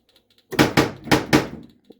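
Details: Prewar 1935 Rock-Ola Big Game pinball machine, trigger hole test: four sharp, solid wooden knocks in about a second, each crisp and full, so the knocker is firing properly.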